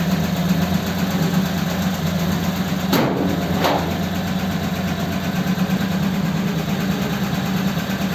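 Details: Richard's Holley 94 carb on another truck, before a road test: even, settled low idle with a couple of brief clicks and no faults.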